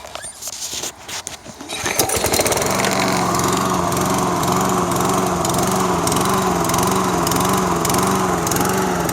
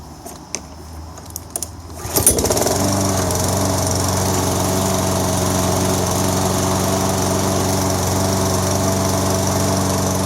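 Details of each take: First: Toro SR4 Super Recycler mower, 159cc engine, starts well then surges, hunting up and down in speed at idle, not under load; owner read that a dirty carburetor pilot jet can cause it. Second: Toro SR4 Super Recycler mower, 159cc engine, after cleaning debris from the carburetor to cure surging: starts after a few clicks and idles evenly without surging; owner may add a fuel filter.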